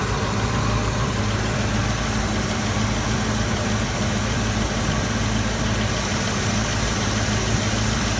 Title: Exhaust leak